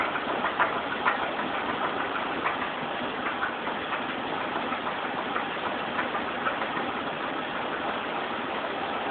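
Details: Chevrolet Monte Carlo engine at idle: steady idle with uneven knocking, about two per second, loudest early on; cause unknown, owner suspects a bent pushrod.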